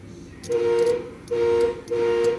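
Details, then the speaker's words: 1983 Chevrolet C-10 horn after Scotch-Brite cleaning of corroded brass horn ring contacts in the steering wheel: three firm clear two-note blasts about half a second each; horn now working, fault was a bad corroded connection. "hope you guys can hear the horn. It does work now. So all it was a little corrosion on them brass pieces."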